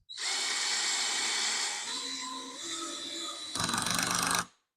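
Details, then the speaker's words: Older cordless drill driving a screw, clutch turned up past seven after it stopped short: even motor whine, then a quick burst of rapid clutch clicks as the screw seats, still not quite deep enough; working normally. "not quite far enough so now you can just play with that and figure out how deep you need to drill or sorry how deep you need to put your screw"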